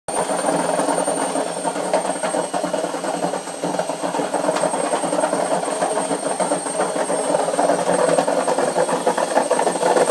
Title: Noisy Washing Machine #2